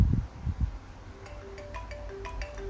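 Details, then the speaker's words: iPhone 4s on iOS 6.1.3 with a no-sound problem, after replacing the faulty speaker assembly (screws not yet tightened): after a few handling knocks, clear ringtone notes play at a steady volume with no crackle or buzz; speaker now works normally. "đấy có tiếng bình thường rồi anh em nhé."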